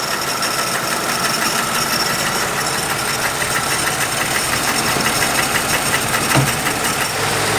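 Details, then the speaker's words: 1950 Plymouth, long sitting, fed gas by pouring, idling at 620 rpm: slow idle with an uneven chuffing beat and occasional stumbles; possibly missing on a cylinder. "Not bad. Well, it's got a little bit of a chuff, doesn't it? We got a little bit of rusty town there. it might be missing. It might be running on."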